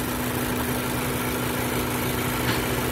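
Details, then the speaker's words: 2014 Ford Focus, about 150,000 miles, check engine light with bucking and a lean condition: at idle, with the purge valve disconnected, a soft constant hiss of air is sucked in at the open hose, a vacuum leak through a leaking purge valve. "Alright, you can probably hear that hissing. That's leaking purge valve. That's 100% the issue."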